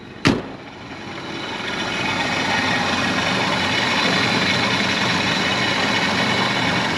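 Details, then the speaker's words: 1951 Chevy 3100 truck parked for several years, started with a flip of the switch and a couple of pedal pumps: sharp click, then a soft, even, quiet idle with no knocks or misses. "a quick flip of the switch in a couple of pumps and she's running it's pretty quiet little truck"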